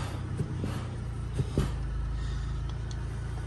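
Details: Derby car with 93,000 miles, new battery fitted, oil very low, previously died right after jump starts; steady low rumble with even idle beat, a few handling knocks, stays running smoothly at idle.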